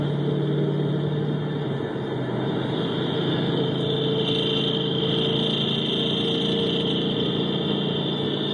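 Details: 2011 GT 5.0 V8 at a steady idle, recorded through amplified microphones on each cylinder bank switched between channels: dull tapping about four times per second; the poster suspects piston slap, as his own car makes the same noise when cold.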